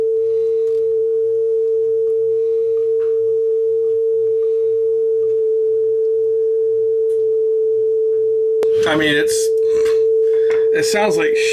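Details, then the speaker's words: Marantz SD9000 cassette deck with a servo-controlled motor, after belts and idlers were serviced. A steady test tone with slight pitch wavering: flutter from a worn pinch roller that needs replacing. "because a pinch roller is, you know, I mean, it needs a new pinch roller. It's simple as that."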